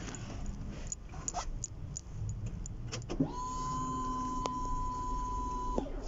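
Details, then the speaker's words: Chevrolet Spark that cranks but sends no fuel from the line, fuses and relays checked: key-on electric fuel pump hum at even pitch for about 2.5 seconds then stops; pump primes normally, though gauge shows two bars and tank is suspected empty. "pero ya revisé el fusible reveladores también y de hecho escuchen voy a prender el switch y la bomba si se escucha"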